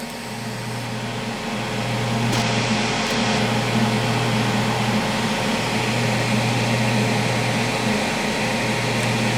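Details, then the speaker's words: PrimeWeld MIG 285 with spool gun welding an aluminum tee joint, heat above chart and wire speed raised, part warmed: steady even buzzing arc with a constant low hum and no popping or spatter. "this side should War this side should weld smoother now that the part's all warmed up too"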